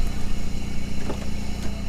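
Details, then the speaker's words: 1997 Camaro V6 rescued from crusher, now on all six cylinders, A/C compressor unplugged, tach inaccurate, hazy exhaust: low even idle exhaust burble with steady pulses, no misses; normal idle. "it is running pretty okay there is uh the sound of the exhaust"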